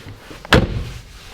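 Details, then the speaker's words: Subaru STi frameless-window door after Kilmat 80 mil sound deadening, plastic insulation wrap and full door card refitted: a single firm slam with a deep thud and short decay, no rattle. "oh doesn't that sound better no rattle"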